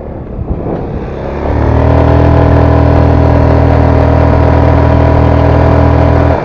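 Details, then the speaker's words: GY6 150cc scooter after replacing a disintegrating CVT clutch, test ride accelerating to about 25: smooth pickup and steady even drone, no chatter, judder or earlier weird noise; healthy clutch engagement. "this clutch is definitely not making any of those sounds like it was before totally awesome"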